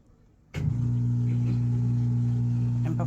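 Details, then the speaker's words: Washing machine under repair, set to spin cycle: steady low hum starts abruptly and holds even; drain pump running and draining normally, though drum not spinning and cycle keeps restarting. "We hear it draining for sure. So, it's definitely draining."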